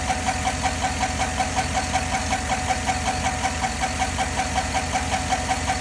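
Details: 2010 Chevy at idle: sharp, even ticking about two to three per second over a steady idle; owner suspects lifters, cause not confirmed.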